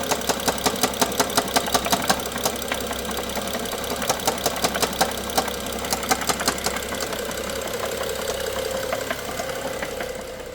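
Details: A BMW F07 with the N55 engine idles with a sharp metallic knock about three times a second, fading toward the end.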